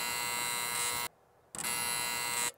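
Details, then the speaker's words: Outdoor light fixture gives a harsh electrical buzz that starts and stops twice as the light switches on and off when the photocell is covered; the failing photocell is the source and gets replaced. "can hear the noise coming from the photocell. So in this case, the problem is the photocell."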